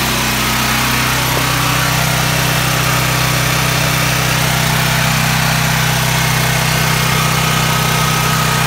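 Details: Duramax 12K generator on propane from a 100 lb tank, after the bad regulator was replaced and connections resealed with gas line tape: steady, even low hum with no misses or surges. Runs smoothly on propane.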